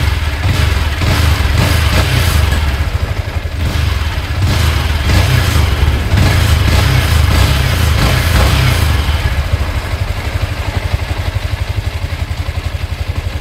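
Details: Yamaha Sniper 155 VVA idling after an oil change and spark plug replacement: single-cylinder putter at steady idle with even low pulses, no knocks or rattles, settling smoothly; normal healthy idle.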